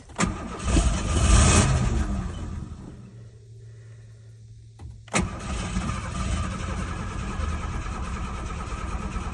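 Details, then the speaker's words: Abandoned 1986 Ford Ranger XLT SuperCab 4x4, sat 16 years: engine runs, cuts out abruptly, sits quiet a few seconds, then catches again; intermittent ignition cut-off, later traced to the ignition switch plug coming out at the back. "apparently the ignition screwed up to let it back it shuts off the ignition so but it runs"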